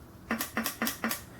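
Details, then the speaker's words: 2009 Chevrolet HHR with code P0449: new evap vent solenoid bench-tested before installing (old one did nothing and drew no current): four crisp clicks about a quarter second apart, snapping open and shut properly. "so you see you got a new one here we we're gonna test it just to show you what it should have sounded like whereas the other one it did not do anything"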